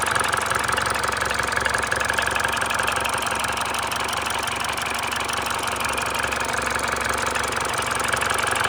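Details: Mini Cooper R56 1.6 122 hp N16B16A, 180,000 km: fast light clatter about four knocks a second during warm-up, nearly gone when hot, jerky throttle; no fault codes; timing chain, VANOS, coils, plugs already replaced; cause unknown.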